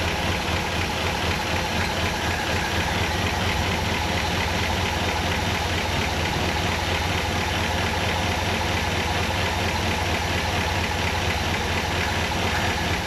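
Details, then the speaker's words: 1959 Ford Fairlane 500 V8 after a tune-up: a rough, loping, stumbling idle caused by a misfire from plug wires 6 and 7 being swapped out of firing order. "That ain't supposed to be doing that. Maybe I got it in the Maybe I got the firing order off."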